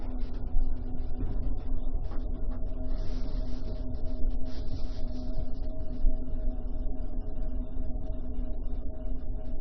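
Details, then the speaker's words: Refrigerator fan running on after the compressor cuts off, to cool hot coils: a steady low hum with a clear mid tone and faint clicks; this behaviour is suspected, but the cause is unconfirmed. Refrigerator fan noise. "I think that fan will kick on after the compressor cuts off, but if it's hot, cool them coils off."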